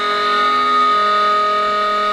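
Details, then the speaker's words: Two-stage Tesla disc turbine (cold steam system) spinning very fast: steady piercing siren-like whine as lubrication can't clear the bearings fast enough, in harmonic with them, rotor not balanced per Tesla's patent; high-speed bearing whine. "Yeah, so even up against right now we can't push the lubrication out of the way fast enough in the bearing. Mhm. That we can hear that. That's the main driver."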